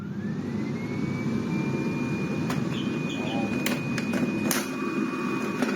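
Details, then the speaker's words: Miele CX1 Comfort XL bagless cylinder vacuum, after service for loss of suction, reassembled and running: steady airy roar with a thin whistle; excellent airflow, though a slight air leak is spotted. "she got excellent air flow coming out of our filter that's barous however I am spotting a slight air leak"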